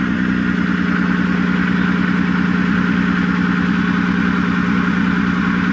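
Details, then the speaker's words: 1996 Nissan Maxima restarted: loud, busy idle with a steady low drone and faint uneven clatter; sounds off, cause not yet known. "didn't sound right to me i'm gonna have to give this thing a good look"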